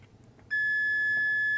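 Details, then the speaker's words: Cheap Chinese C5 power lead with North American plug, multimeter continuity test from pin to connector pinhole: one clean steady high beep of about a second; conductor intact, with no continuity to the other pins. "So we've got continuity there, and of course not to the others as you would want."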